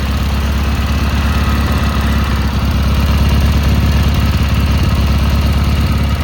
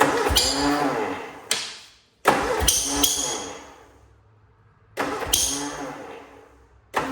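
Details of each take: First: Cub Cadet Cyclops garden tractor Kohler 18 twin after repair of a badly blown head gasket (head replaced), started via M18 battery pack wired to the starter: steady, even chugging idle, regular firing, no misses, knocks or hiss; running healthy. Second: Cub Cadet Cyclops with a twin-cylinder Kohler 18, smoking, fresh 10W40 oil, cold start: five short cranking bursts that catch roughly, then fade and die; uneven firing, blown head gasket suspected, owner also suspects muffler, coil or plug.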